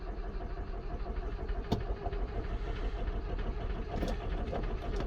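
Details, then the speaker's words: 1993 Ford Transit camper diesel, sat untouched for weeks, losing power with heavy black smoke: cranks, catches and settles into a rough, uneven idle with irregular knocks; hard starting, cause not yet confirmed. "course it's kind of hard to start like I said it has been here for a few weeks I haven't touched it"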